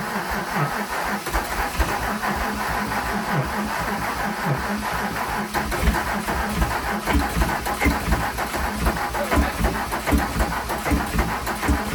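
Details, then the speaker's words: VW Jetta Mk3 VR6 12v during a motor swap: a sluggish, uneven starter churn at about 1–1.5 turns a second drags without catching. Slow cranking from a flat battery (alternator suspected not charging), before a charger is connected. "oh man it's the batt that's a battery you know we don't we don't have a battery uh juice that's why it's doing it like that"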